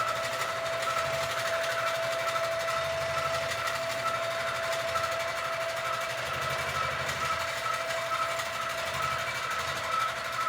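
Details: Sewing machine quilting a Christmas quilt, making a sound the owner calls not normal, cause unknown; excess bounce also noted. Steady stitching drone with a thin, high ringing tone and an uneven beat about once a second. Abnormal running noise.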